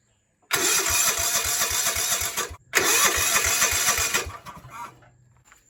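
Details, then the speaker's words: Old riding mower with an older Kawasaki engine off an old John Deere, with old fuel and a clogged fuel filter: two bursts of steady cranking at about four chugs a second, never catching. The fuel line is stopped up; points were also suspected. "Alright, here's the problem. This line right here is stopped up."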